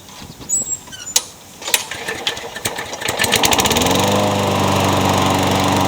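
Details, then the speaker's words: Craftsman mower, first start after new piston rings, donor carburetor and old head gasket reused: a few pulls, then an even, steady run with no knocks or misfires; sounds healthy, but the blade feels out of balance. "it sounds good but it feels like the blades out of balance"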